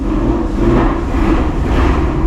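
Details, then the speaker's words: 2024 Mustang GT V8, stock engine with Corsa catback, last cold start before a Whipple supercharger install: loud, deep, even exhaust rumble at a steady fast cold idle with no misses or knocks; healthy and already aggressive. "And now you guys can hear the last cold start with this factory setup. Even though it does sound pretty aggressive already,"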